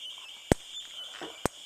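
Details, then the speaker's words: Simplex 4903-9238 fire alarm, 1999 date code, 110 candela strobe: thin high whine broken by sharp pops about once a second, like a video game; owner suspects the capacitor and expected a constant hum instead. "yes I know it's the capacitor however I don't think it's supposed to sound like that I think it's supposed to more have like a constant beep or something like that a little hum rather than just what's going on here sounds like a video game"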